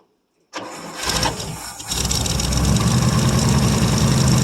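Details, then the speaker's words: 1959 International B120 4x4 pickup, first cold start in about five years on gas poured into the carb; it catches into an uneven, pulsing, starved idle. It is not drawing fuel from the tank. Runs briefly, then dies. "well guys you get that it does run I wish it would pick up gas of course not surprised that it's not pulling gas from the tank"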